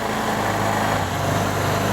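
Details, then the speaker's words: Vespa ET4 scooter, engine warmed up, after fuel system and air filter work, drive belt good: busy, fast, even buzz with no dip or hunting; the idle is set too high and is to be turned down at the air-box adjuster. "time to turn the idle down it's definitely a little on the high side it's pretty noisy"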